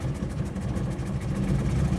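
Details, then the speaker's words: 1998 Ford Explorer with a suspected vacuum leak at a sealed Y vacuum tube off the air intake. After work it idles low and lumpy, wavering and stumbling; slightly better than before, when it needed throttle to stay running, but the cause is still unknown. "in here it's still running rough and uh so that that actually it helped a little bit cuz right now it's trying to hold his on trying to hold his on"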